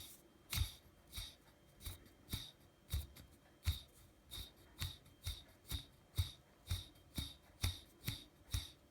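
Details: T-Motor F40 Pro 2400kv quadcopter motor spun: quiet, gritty bursts about twice a second, a faint rattle and grinding from a bad bearing.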